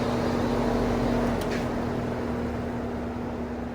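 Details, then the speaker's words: Vintage Sears box fan in exhaust: low steady hum near 230 Hz over soft air rush, running slowly on low; owner suspects bad windings, and possibly a bad or broken switch. "It slows right down on low though. Quite a bit of motor hum too. Wonder if the windings aren't bad in it."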